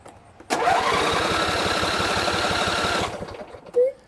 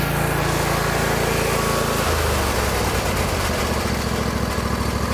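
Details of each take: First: John Deere L120 lawn tractor, Briggs V-twin, sat almost a year: cranks about 2.5 s with even compression pulses but never fires. It has spark, a good fuel filter and a working pump, and runs only on quick-start spray; the fuel shutoff solenoid is stuck. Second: John Deere L120 lawn tractor, Briggs V-twin, sat about a year: engine drops from higher speed to a steady, even putter with no surging or hunting; runs normally.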